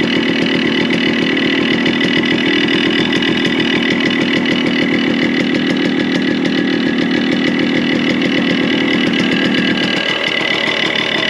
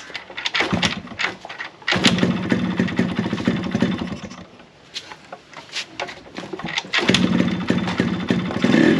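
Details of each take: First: Yamaha RX100 two-stroke, revved: harsh, uneven rattling knock over the exhaust buzz; top-end noise, suspected crack or worn block/piston. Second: Yamaha RX100 two-stroke after replacing block and piston, silencer refitted: crisp crackle blipping up and settling back, no knocking or rattling through throttle changes, some smoke; earlier noise was the worn block/piston, not the crank; normal running.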